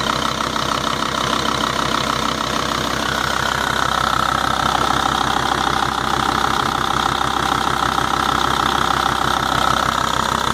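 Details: Volvo/Audi 2.5 TDI diesel at steady idle with a regular light tick, roughly 160 a minute, over the engine clatter; source undetermined.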